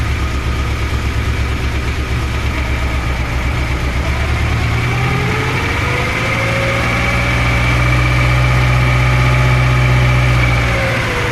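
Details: VAZ-2103 engine at steady idle with a regular light knock, about four per second, over the low rumble; initially taken for a loose valve, but teardown revealed another cause.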